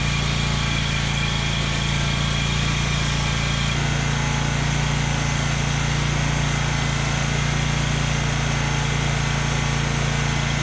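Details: Exmark Lazer Z zero-turn mower, Kohler Command Pro CH740, after gasket replacement for an oil leak: steady, even engine beat at constant speed, no knocking or miss audible; mower runs cleanly, normal running.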